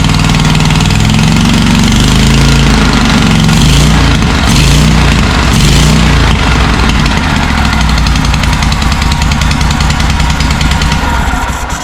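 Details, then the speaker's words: John Deere M665 zero-turn mower, twin-cylinder engine, running after tightening bolts: loud, raw, steady speed with harsh puffing exhaust; not a head gasket, the exhaust manifold gasket is gone. "Well, it doesn't sound like it's got a blown head gasket. It sounds like it's running strong on this cylinder. It just sounds like the uh like the exhaust manifold gasket is gone."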